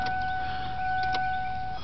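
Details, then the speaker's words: Ford Taurus not starting, battery posts cleaned: dash chime and a few sharp relay clicks with no cranking; owner suspects corroded cables or a bad starter solenoid, previously fixed by reseating cables; cause unconfirmed. "can hear the relay click but that's about it"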